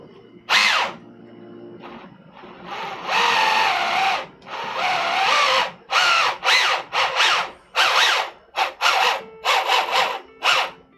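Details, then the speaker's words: 3D-printed MOG RC truck kit, first throttle test on channel two: short bursts of loud whirring whine rising and falling with each blip; loud drivetrain, owner suspects undamped frame vibrating too; torque steer noted. "It is loud. It is not a quiet machine. [screaming] A lot of it's probably also the frame vibrating because the frame has nothing to dampen it."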